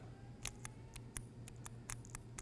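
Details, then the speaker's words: SnowDogg VXF V-plow valve test, coil fitted and 12 volts applied: crisp light clicks, about ten in under three seconds over low hum, plunger snapping in and out freely; valve operating correctly. "And what you'll do is bring 12 volts and as soon as I apply 12 volts, you should hear the plunger moving"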